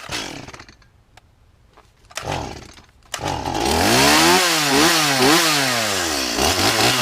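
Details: Stihl chainsaw: it sputters and nearly dies after starting, then surges and wavers, bogs, and shuts off. The idle speed is set too low and is fixed by turning the idle adjustment screw.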